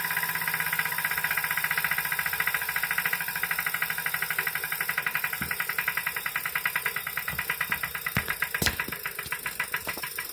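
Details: Brand new Wahoo Kickr 2018 trainer, bought November 2018, out-of-box test ride: crisp steady knock several times a second over the trainer's whirr; unexplained mechanical knock.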